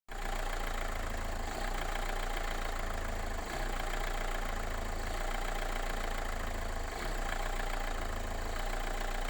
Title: Megane Mk3 1.5dci k9k engine rough idle